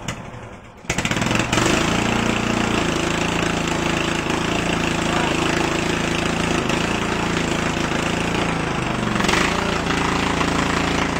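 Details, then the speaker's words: 2000 Murray lawn tractor, 14.5 hp Briggs & Stratton overhead-valve IC Quiet engine, 6-speed transmission, after air filter cleaning: starts quickly, then loud, steady, even single-cylinder running with no knocks or misses; sometimes flames from muffler. "This thing's very loud, and sometimes you can see flames shooting out of the muffler."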